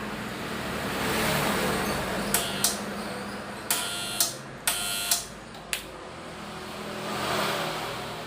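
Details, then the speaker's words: Used air compressor that runs a fair while before stopping or entering protection mode; motor hums steadily with a few sharp metallic clicks; hum can mean a bad capacitor, but owner thinks the capacitor isn't the fault. "Memang, jika masalahnya ada pada kapasitor, biasanya hanya terdengar suara dengung."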